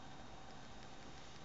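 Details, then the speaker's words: Desktop computer after the startup buzzing stops: quiet steady whoosh with a faint even hum and no buzz or rattle; fans running normally, fairly quiet for a powerful computer. "it'll just act normal for now on just normal and well not quite uh you know pretty quiet for a computer i guess considering how powerful the fan and such are"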